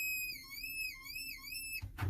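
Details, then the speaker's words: Vacuum-assisted brake booster, pedal pushed hard: a high wavering whistle like screaming from under the dash, rising and falling with pedal travel, then a thump; the booster is leaking vacuum. "This has what's known as vacuum boost, brake assist, and when you push in the pedal, it pushes in that plunger. But if we have a leak, hear that slight hissing sound?"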